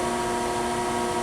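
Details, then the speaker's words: Chevalier FSG-1236AD 3-axis hydraulic surface grinder, grinding spindle running alone with the hydraulic oil off: smooth, even hum with steady tones and no knocking, rumble or grinding; the spindle runs healthy. "yeah there's spindle no oil sounds"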